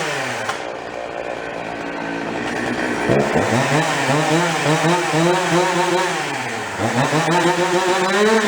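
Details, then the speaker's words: Husqvarna 353 chainsaw, bought cheap barely running, after going through it; revs up crisply, drops to a steady idle without dying and picks up again, quick trigger, high rpm, chain brake stops immediately; normal running. "Sounds good, the brake works, stops immediately. It's got a nice idle to it, doesn't try to die. It's got a quick trigger. And a high RPM, I mean that thing rips."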